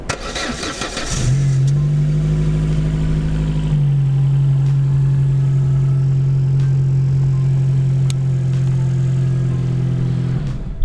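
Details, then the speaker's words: Opel Corsa 1.4 petrol, parked about 2 months, fully discharged battery, around -1 °C, jump-started with LiPo starter; brief cranking, catches into steady low hum; started easily, about 202 A cranking current against 600 A peak rating. "Well, I added the starter and we'll try to start the engine. We can see it started. It started quite easily."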